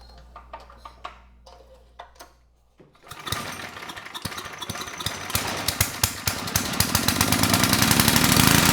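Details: 10hp Tecumseh HM100 on a 6000 W Western Hemisphere generator, lots of fuel in the air filter, throttle resting wide open: light clicks, then catches and runs ragged with uneven pops as revs climb. Rough running from a flooding carburetor.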